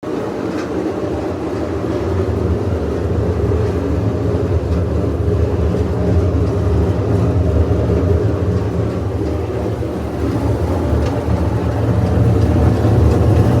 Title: GE washer making noise like airplane-broken bearings